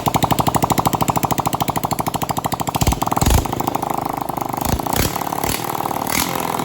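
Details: Honda CT200 Trail 90 single-cylinder after stator, rotor and spark advancer rebuild and flooding carburetor fixed (holed float replaced, new float adjusted): quick even pulses, catches and takes clean throttle blips. Normal running.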